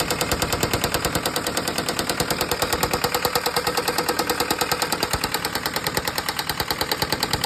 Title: Isuzu 4jb1 knocking sound